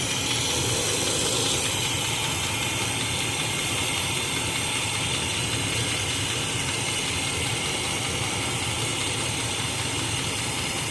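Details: 1986 K5 Blazer engine, timing at about four degrees with eight intended, vacuum advance not yet connected, carb swapped; rough idle under a loud hissy rattle, uneven clatter two or three per second; unidentified noise at idle, source unclear.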